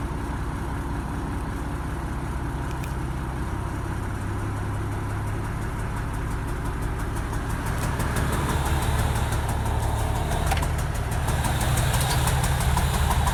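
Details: Toyota Land Cruiser HDJ81 diesel idling with an uneven, lumpy beat around three per second and heavy low rumble, plus smoke; rough idle, cause not yet clear.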